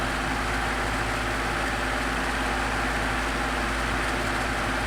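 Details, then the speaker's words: 12-inch oscillating desk fan (Midea-made) after lubricating bearings and replacing thrust washers: smooth steady hum and airflow, earlier rattle gone; runs quietly and evenly. "don't hear that rattling that we was hearing before sounds quiet"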